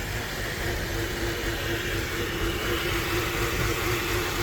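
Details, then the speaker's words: Mercedes R500 V8 after a new ignition coil was fitted: the idle is much calmer than before but still slightly rough, with a faint uneven lumpiness in the low pulse. No code has been thrown yet. "It still has a bit of a rough idle, but like substantially calmer than it was. But yeah, you can still hear it a little bit."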